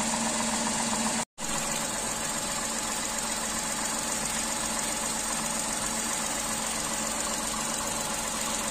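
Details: Tata Tiago three-cylinder engine at steady idle, hood open: slightly uneven, buzzy three-cylinder beat with no knocks or misses; the vibration is normal for a three-cylinder firing order.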